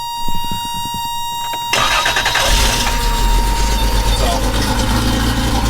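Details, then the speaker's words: 1988 Toyota pickup with a swapped-in 3.4 V6 (5VZ-FE from a 1996 4Runner), fan removed, coolant issue still pending: chime, starter grabs, smooth even idle through a raspy exhaust; runs and idles fine. "you can hear it it runs and idles just fine it sounds good i mean it sounds good to me"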